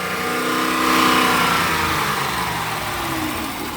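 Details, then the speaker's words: Police Dodge Charger HEMI after teardown and repair of lifter tick and misfire with quality Mopar/OEM parts, first start: fast idle with faint even light ticking fading as oil reaches the hydraulic lifters; normal after about three minutes. "hear that getting that oil up there to them hydraulic lifters. Look at that. Slowly starting to sound. Come on, baby. Now you're going to hear some tick, guys."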